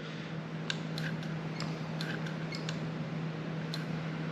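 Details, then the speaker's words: Throttle-by-wire gas pedal assembly: redundant micro switch beside the variable resistor pedal sensor, signalling foot on pedal; light crisp clicks at irregular intervals over steady hum; normal micro switch clicking. "so this is a sensor that if if it doesn't line up with the variable resistor than the variable resistor is not going to do anything so if if you put your and it's just a little micro switch here"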